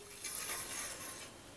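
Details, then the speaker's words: Bicycle hydraulic disc brake, hand-spun wheel: hissing, scraping rub at one point of the rotor as pads drag, making noise and braking the wheel. "disk belli noktada baltaları sürterek duyabildiğin gibi hem ses yapıyor hem de tekerleğe fren yaptırıyor"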